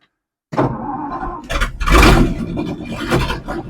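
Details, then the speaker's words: 1963 Ford F100 unibody, Y-block V8, three-speed, unstarted 20+ years: starter cranking out of gear, then rough coughs and a short roar as it briefly catches, showing spark and working ignition; won't keep running yet. "no way no freaking way did you hear that did you hear that holy crap we got a runner boys we got a runner that was way this thing actually made r running sounds it went vom cough cough that's enough for me"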